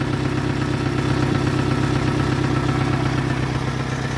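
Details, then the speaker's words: Toyota Camry 5S-FE at its first start and slight rev after a new oil pump and new rod and main bearings. A light regular tapping at idle is heard; an exhaust leak is hoped for but not confirmed, and the mic exaggerates it. "here little bit of a tapping noise that I don't know I'm hoping it's just that exhaust leak and not anything to do with the rods or mans that I did"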